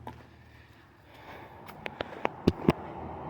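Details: 1970 Plymouth Fury III convertible, 318 two-barrel V8, A904 automatic, after cleaning original battery cables: several sharp single clicks in quick succession, no cranking.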